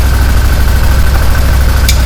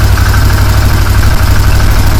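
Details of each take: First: 2015 Massimo Militia 1000 UTV after fixing no-spark electrical faults including the crank sensor: steady low twin-cylinder thrum at idle, even with no stumbling; engine runs cleanly, though a clutch noise on one side is noted. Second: 2015 Massimo Militia 1000 UTV, idling with scan tool connected, batteries run down: low, heavy idle sagging and stumbling unevenly, struggling; cause unknown, oily smoke noted.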